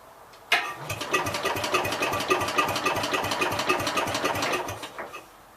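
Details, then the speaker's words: 1966 Gravely C10 tractor, no spark: steady cranking thumps about 3.5 per second for four seconds, never fires. Owner suspects the coil failing since it keeps eating points; plans conversion to battery ignition coil and condenser. Hard starting. "I'm thinking that the coil must be starting to get bad on this thing cuz it's eaten deeper points"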